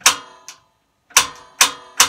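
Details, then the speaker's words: Atwood RV camper stove and cooktop with the original twist-type spin sparker: sharp, loud snapping clicks, four in about two seconds then a pause, sometimes needing 4–5 turns to light; the worn sparker is too loud, to be replaced with a battery push-button sparker. "And the reason why I want to update this is it makes a really loud noise when you want to boil some water."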